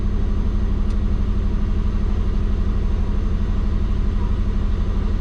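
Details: Warm, at operating temperature, the twin-turbo Subaru idles steady and fast at about 1400 rpm instead of about 600, with an even low drone and no dip; the owner suspects the injectors can't go lower (pulse width around 0.8). High idle speed.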